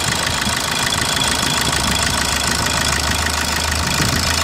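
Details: 2010 Opel Corsa D 1.3 CDTI diesel at idle: sharp, fairly regular knock about three per second over the diesel clatter; abnormal engine knock, cause unknown.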